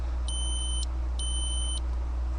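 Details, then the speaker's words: Datsun 280Z ignition switch, removed and tested on the S and B (starter/battery) terminals with a continuity beeper; the beep drops out briefly then resumes, a small gap showing intermittent contact. Owner was chasing intermittent no-crank and ECU resets. "other than that little Gap seems to sound pretty good"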